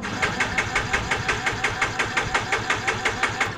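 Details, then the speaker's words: Yamaha Mio J scooter cranked with injector removed (10 mm): steady cranking about three pulses a second, never fires; no fuel spray from injector holes, injector apparently slightly clogged; cranking no-start. "benar saja di lubang injektor ini tidak mengeluarkan minyak ya tidak ada semburan minyak ya untuk di lubang-lubang injektornya tidak ada semburan minyak sepertinya injektornya ada sedikit tersumbat ya"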